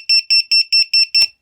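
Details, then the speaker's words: VIFLY Finder V2 self-powered 100dB drone buzzer, about 30 seconds after power-on: six loud, shrill, evenly spaced beeps about five per second, then cut off; buzzer at full volume. "So after about 30 seconds after you power the quadcopter on or give power to the Vifly Finder 2, the volume goes to its maximum."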